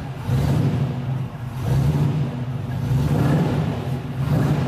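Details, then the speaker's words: MGB GT with a non-factory V8 conversion, engine already warm, light throttle blips without over-revving: deep, even burble rising and falling, no knocks or misses; healthy running. "So absolutely on the key. Got that lovely, lovely burble to it."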